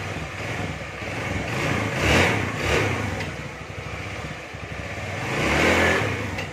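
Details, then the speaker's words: Carbureted Honda Beat scooter after CVT repair for no power and slipping: revs climb cleanly on each throttle blip and drop back smoothly with no slipping flare; power restored, no more slip. "Oke kawan sudah dipastikan nih tenaganya Mantap lagi enggak tanya enggak selip lagi"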